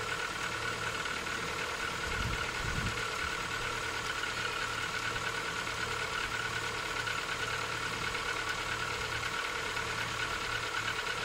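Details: Rover 25 1.4 K-Series petrol engine, cold start at idle: soft irregular knock under a steady hum; piston slap suspected, not confirmed.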